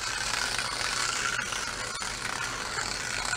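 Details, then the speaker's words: 1960s slot car, sat about 40 years, run on its track: high, fast buzzing whir with a gritty rattle; owner unsure whether the gear is hitting the track, the tires are worn down, or something else. "don't know if it's just the the gear is hitting the tracker the tires are so wore down or or what it is"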